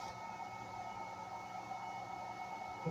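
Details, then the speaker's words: Ridgid battery charger (model given as R80 82015), just plugged in: a steady, soft whir with a few fixed whistling tones and no wobble. Its cooling fan is running normally. "you guys hear that it's like there's a fan in this thing is this supposed to be rapid 30 minute Chargers"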